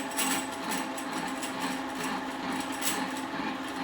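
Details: Mitsubishi 3000GT/Stealth 5-speed AWD manual transmission, back plate off, spun by drill press on the bench: uneven metallic rattle over motor hum, the neutral rattle that disappears with clutch pressed; cause traced to shift slider.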